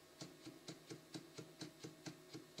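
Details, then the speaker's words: Anet ET4+ 3D printer, gantry carriage pushed by hand: crisp evenly spaced ticks about four per second; roller wheel dented from being clamped too tight on the gantry during shipping, clicks each turn, other side runs quiet. "it's almost like this was way too tight onto the gang tree when they shipped it there's a reason for that because they don't want it to shift of course but the wheel slightly dented as a result where it's been sitting all the time inside the package"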